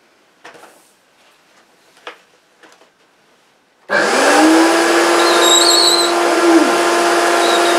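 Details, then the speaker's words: 1970s Hoover S3001 Celebrity Custom vacuum cleaner, air-driven power nozzle after a graphite powder attempt: a few clicks, then a constant high squeal over the airflow roar; the nozzle still squeaks and needs stripping, cleaning and lubrication. "it might squeak still might not be as bad it's hard to get the graphite powder no it's still squeaking cover your ears"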